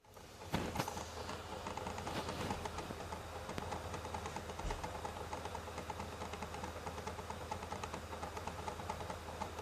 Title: PS4 Disc Drive Noise Problem